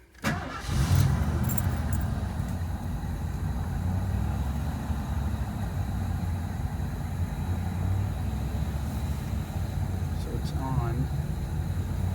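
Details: 1986 Ford F150 after replacing both fuel tanks, sending units and cleaning tank switch reservoir, lines primed: quick crank, catches within a second, steady even idle, no leak; normal start.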